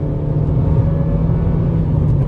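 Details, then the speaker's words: Hyundai i30 FD 1.6 automatic, 2011, road test: steady low engine drone while pulling away, shifts smooth with no flare, thump or whine; automatic transmission working normally. "раз переключила переключает отлично никаких вопросов к работе"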